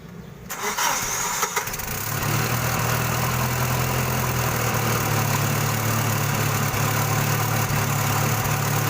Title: H-20 Series Jack forklift Hard starting. Not starting kumg hindi aapakan ang gas pedal